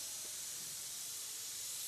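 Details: Lorry air brake valve leaking with a continuous sharp hiss of escaping air, no change in pitch; the air valve is to be replaced.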